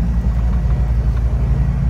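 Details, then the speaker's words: N3318Q aircraft piston engine jump-started with a Powerall jump starter after another dead battery before annual; deep pulsing rumble settling into a steady even beat, normal running after start. Owner wants annual to find why batteries aren't holding charge. "the jump starter worked again. So that's another reason to take it into annual and find out why the batteries aren't keeping a charge."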